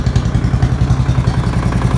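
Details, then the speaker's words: Murray single-cylinder flathead engine at its first start in a long time, possibly running on used oil; a fast, loud, regular clatter on every beat with smoke appearing; heavy engine knock, and a rebuild is expected. "Wow. Knocking pretty bad though. Sounds bad to me. Maybe it's just a flathead thing."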